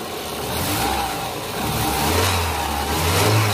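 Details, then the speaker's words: 2000 Opel Blazer DOHC engine modified with supercharger that only works at high rpm: engine pulls up through low and mid revs with a rising, even note and no blower whine yet; normal revving. "walaupun berputar boleh supercharger nya cuma belum terdengar suara dari superdry yang bekerja karena ini dipasang di RPM tinggi"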